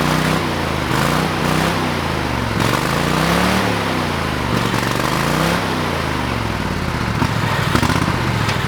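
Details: Old lawn mower, still on old gas in the tank: single-cylinder engine runs steadily, rising and falling smoothly with throttle as the mower drives, no misses or knocks; running normally.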